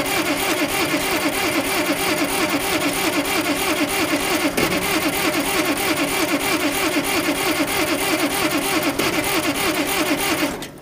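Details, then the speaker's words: Oliver 770 industrial tractor, previously starting without ether, cranking with fuel pump running: long steady cranking at about three compression beats a second with no catch; no start, owner suspects starter fluid would start it. "I got a feeling if I had fluid, starter fluid with me today, it would start right up."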